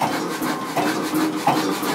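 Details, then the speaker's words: Kelvin K1 vintage diesel engine, petrol-start type, throttle lifted via governor linkage: crisp, even mechanical clatter about eighty times a minute with no knocks or misses; runs sound at raised speed. "So if we lift this up, the engine runs quicker,"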